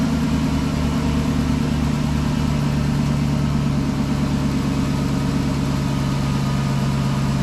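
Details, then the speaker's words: 2007 Chrysler 300 with Hemi swapped from 2006 donor, first start, no mid pipe, no torque converter bolts: engine runs evenly with low hum and faint whine; power steering pump short of fluid, whole system still needing filling. "I like it without the mid pipe sounds good yourself that would be a lack of power steering fluid which we knew was gonna happen"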